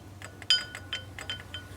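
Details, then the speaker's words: Car front wheel on cobblestone road: irregular light metallic clacks and clinks as the brake pad, worn so its retaining clip no longer presses it, rides loose in the caliper, mistaken for a suspension noise. "E aí com isso o que acontece a pastilha vai rodar folgada quando você tá no calçamento você escuta aquele barulho Zinho chato ó que fica"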